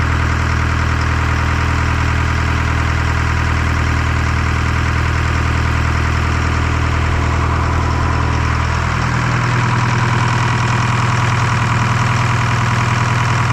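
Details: Detroit 4-53T two-stroke diesel with 7A77 injectors refitted after 9G90 failure and loose suction hose clamp replaced; even steady drone with clean regular firing dropping smoothly to lower speed; normal idle and revving.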